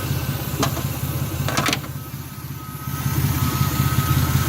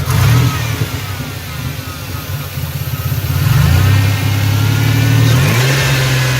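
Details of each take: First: Turbocharged Chevy S10 V6, 5-speed, running a Greddy e-Manage tune, fully warmed up: a slow, slightly lumpy low idle with a steady beat and no knocks or squeals; normal warm idle. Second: Turbocharged Chevy S10 V6, 5-speed, running a first Greddy e-Manage tune with a 12-inch glasspack: after a blip the revs fall slowly and hang above idle for seconds before settling. This has happened since the turbo install. Owner suspects the mass airflow sensor placement; the engine sometimes stalls after a hard pull.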